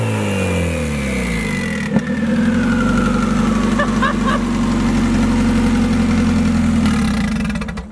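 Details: Widow's blown engine, sat outside in rain and snow, catching and revving with a strained uneven note, then a rough labored idle while smoking; heavy blow-by; a spark plug is also suspected loose.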